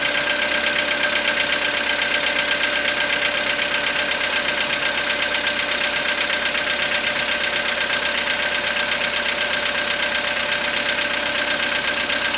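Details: Cold-start engine knock on a 2014 Skoda Rapid with the 1.6 CFNA engine, 27,630 km, started after overnight parking at −0.5 °C; steady, even ticking knock about three a second over a hissy idle, cause unknown.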